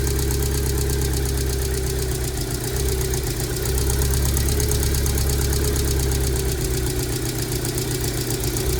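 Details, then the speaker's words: 2002 Rover 75 / MG ZT, bought with a suspected bad engine after it stalled at idle with a nasty noise; long-sitting, check engine light on. Low, uneven, lumpy idle with occasional misfire: rough idle. "the check engine light is on a it's clearly it isn't running very nicely"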